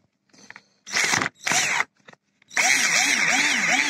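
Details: Black & Decker EPC14 electric screwdriver with sparks and burnt smell: motor spins in short bursts with rough scratchy high buzz and uneven warble; worn brushes and commutator, fixed with universal carbon brush holder.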